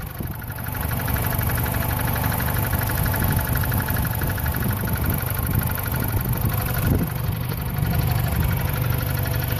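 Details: 2006 Chrysler Sebring 2.4L, 80,000 miles, idling: fast, steady high-frequency buzzing rattle from the lower passenger side of the engine bay, worse when cold and under heavy torque, stops on restart; feels like something loose.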